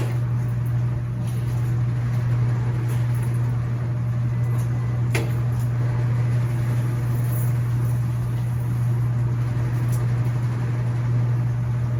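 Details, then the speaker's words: Laundromat washers running empty at highest spin speed: a steady low hum and even whirr with no knocking or scraping. Normal, healthy spin, quiet enough to hold a conversation. "and see that's what you want to be able to do is you want to be able to have a conversation with you know i've got non-top loaders running with nothing in them so they're able to spin at the highest velocity they can but we're able to have a conversation"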